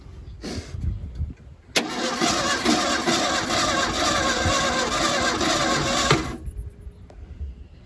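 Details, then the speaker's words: 1977 Ford Mustang II engine, sitting 25 years; starter spins the engine steadily for several seconds but it never fires or picks up speed; cranks but won't start, suspected flooded. "I'm gonna have to say, yeah, I think it's flooded. Hit it again."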